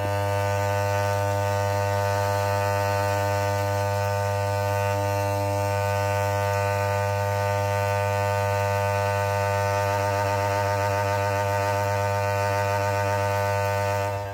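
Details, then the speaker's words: 1974 Holophane S400 globe lamp, original ballast, running: loud steady mains-rate buzz with rough gritty crackle, masking the second lamp's quieter hum; ballast buzzing, cause uncertain. "Elle fait des bruits assez chelous. Mais bon. Celle-là, elle ronronne aussi, mais on l'entend pas à cause de celle-là."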